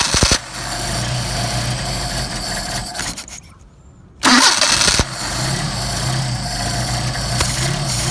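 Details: Mercedes 190SL with rebuilt Solex carburetors (39,000 miles; new throttle shafts, trued mating surfaces), throttle linkage disconnected: cold start on choke, catching, stumbling once, then settling into a fast, fairly even idle; normal cold idle, not yet warmed for tuning.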